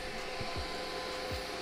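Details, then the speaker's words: Budget 50 A plasma cutter's air supply hooked up with the regulator showing no pressure: a steady, even hiss from air escaping at a loose fitting on the supply line. "not reading any pressure so i think we do have a leak i just have to figure out where"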